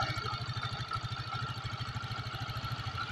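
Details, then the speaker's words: Yamaha Xeon 125 FI scooter after engine reassembly, restarted: quick, even putter with a light injector tick on top; idling smoothly, normal. "Oke motornya sudah ready Pak kita coba starter ulang dan halus"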